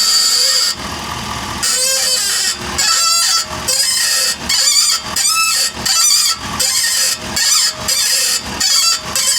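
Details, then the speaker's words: 2023 Ford F-450 at 50,000 miles, microphone at the wheel as truck is lowered onto it while steering: loud harsh creaking groan about every second, noisy only under load; worn-out ball joints on this side. "So I think this pretty much confirms that the ball joints on this side are just trashed. They are noisy with the load."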